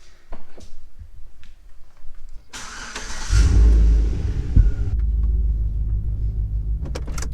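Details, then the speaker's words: Vehicle with check engine light, cylinder misfire not caused by plug: cranks, catches, then uneven lumpy idle with stumbling beat; plug wire or coil suspected. "so it's not the plug it's actually either the plug wire or the coil feeding this wire"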